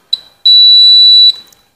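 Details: A short blip, then one clean high steady beep under a second from a bell continuity tester checking black and green loop wiring to the switch points while dressing a house-wiring SDB: the loop wire is continuous.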